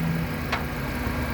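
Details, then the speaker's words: 2010 Kia Picanto 1.1 SE automatic, 1100 cc four-cylinder, front-wheel drive, about 110,000 km, hood open; steady, even idle, constant sound, minimal vibration, no knocks or surging: healthy engine. "Nah, suara mesinnya sehat, dia biasanya konstan suaranya. Suara konstan, getarannya pun juga minim."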